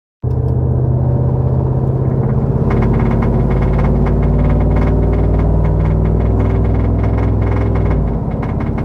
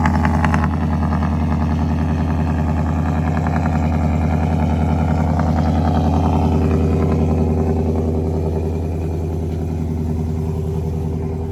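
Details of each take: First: Truck V8 with Boss 302 intake manifold and new injectors, driving under load: steady deep drone with a fast, uneven metallic rattle from the back of the intake, heard inside and outside; absent when revved in park, so owner suspects something loose rattling, not the engine. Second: Ford 5.0 V8 truck first start after fitting Boss 302 intake manifold, eight new reman direct injectors and new tune to cure a misfire; steady even idle, faint light valvetrain tap, no knocking; normal idle.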